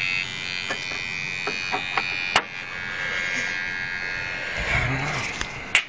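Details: 1999 Saab 9-3 no-start diagnosis, key on: a thin electrical buzz with scattered clicks coming and going; source still unknown.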